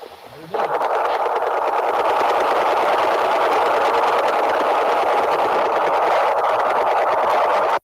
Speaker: That is the Russian woodpecker, Yeah. right? Radar. Yeah, right on. And that Russian woodpecker can really generate quite a bit of noise.